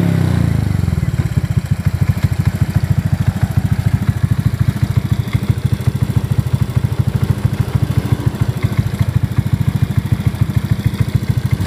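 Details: Honda Beat FI injection scooter after valve clearance adjustment to standard spec for a noisy engine: starts and settles into a steady, even idle with a regular low thump. Normal idle.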